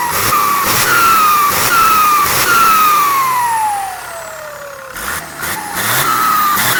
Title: hx302 Sound show Pente na Turbina,cantando turbina,hissing sound in turbo.